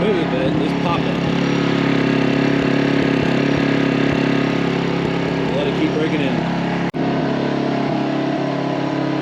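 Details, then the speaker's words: New MaxPeedingRods 3200 W inverter generator, choked, breaking in at full speed inside garage for about 15 minutes: steady full-load drone running smooth with an occasional sharp backfire pop near the end, cause unknown. "so i'm still running it to break it in at full speed but it is backfiring hopefully you guys can hear that and it's running smooth nice and smooth"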